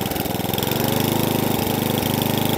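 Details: Atco Balmoral cylinder lawnmower with electric start, serviced after a carburettor fuel-starvation fault: quick, even firing that holds steady with no misses or surging while revs and tick-over are fine-tuned; the engine runs cleanly.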